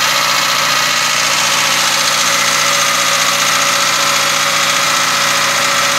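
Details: Car engine at idle: fast, fairly even light ticking around three or four per second over the engine; engine ticking noise, cause unknown.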